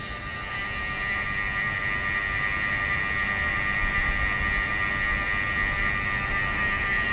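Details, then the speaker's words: Mercedes V12 Egas system, ignition on, engine off: steady high thin electrical whine from a throttle actuator motor; normal hum expected from both throttles, one slightly louder than the other, which doesn't matter. "So you have an idea, that's the humming noise, electrical noise that you're supposed to hear from both. This one is a little louder than the other one, but it doesn't matter."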